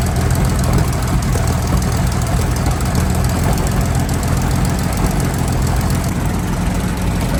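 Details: Centurion ARV V12 after the magneto timing was realigned to the crank: a deep, dense, steady rumble without stumbles or surging. Owner says the timing is right, though fuel pressure is low. Normal running.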